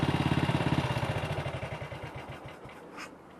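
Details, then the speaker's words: Single-cylinder motorcycle with Wassell Evolution (Amal Concentric Mk 1 type) carburettor, after a needle clip repair and test ride: steady thumping tickover at about three to four beats a second, slowly easing down. Idle is a bit fast, and the owner may adjust the throttle stop screw. "kickover still a bit fast, but I might need to adjust the throttle stop screw."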